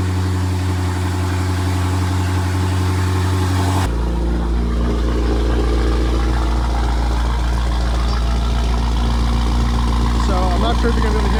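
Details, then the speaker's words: BMW F90 M5 idling after new spark plugs installed: engine catches and drops to a deep, steady idle; beat stays even with no misses or ticking, runs smoothly. "me but start it up and we going let idle and that concludes the spark plug drop"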